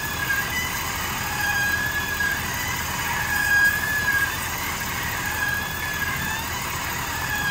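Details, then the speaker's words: 2022 Ford F-350 with noise only when engaged in 4x4, wheels off the ground and spinning: a thin high squeal comes and goes over the drivetrain hum; hub or wheel bearing suspected; dry, dragging front hub seal. "you know this is coming from The Hub or the wheel bearing I guess we won't know until we see what happens"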